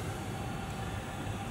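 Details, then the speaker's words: VW California Ocean parking heater at start-up: steady low jet-like rumble and even hiss, no sputter or rattle, louder only during initial warm-up, exhaust exits underneath; normal. "sounds a bit like a jet mg all you ever look well listen to it that's only initial warm or paternally doesn't stay like that to stay noise"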